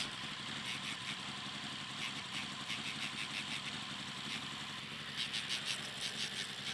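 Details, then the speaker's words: 1985 Toyota Celica Supra (MKII): uneven, lumpy idle with irregular hissy puffs and shaking, fine above 1000 rpm, long cold cranks, hesitation from stop. "And when it's idling, the engine shakes really bad. But at higher RPMs, the engine runs fine."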